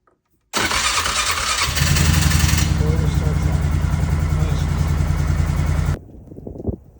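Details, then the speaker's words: 2006 Polaris Sportsman 500 with new replacement PDM: short fuel pump buzz prime, then catches and settles into steady even idle thump; normal start after PDM replacement. "And now we got the good going working PDM in there. Fuel pump kicks on. Four-wheeler starts."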